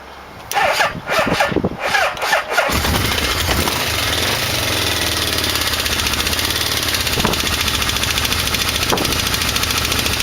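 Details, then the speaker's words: 1989 Yamaha V-Max after valve cover off and carburetor sync, weak battery and choke held: starts after a few sputters, fast rough idle with steady metallic knock; owner says not a rod, suspects a balancer, unconfirmed. "And the knock is just horrible. It's not a rod. I don't know what it is."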